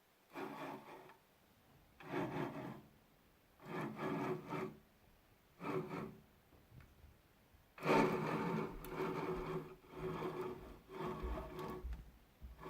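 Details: Newly arrived 6040 CNC router, stepper motors not fitted, axes pushed by hand: rough rasping grinding in bursts; all axis screw bearings suspected gone.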